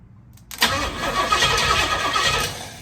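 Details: 1968 Pontiac Firebird, first start attempt after project work; starter cranks unevenly for about two seconds, then winds down without firing. Bad starter ground connection was just moved, fuel is reaching the carb, and owner suspects timing may be off. Cranks but won't start.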